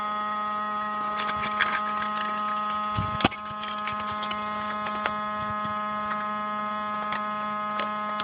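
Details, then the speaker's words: Saturn with the battery connected: a steady, even-pitched electrical buzz with a few faint ticks, which keeps running even with the car on; an electrical hum of unknown source. "buzzing sound somewhere over here can't tell what it is and it still runs even when I turn the car on"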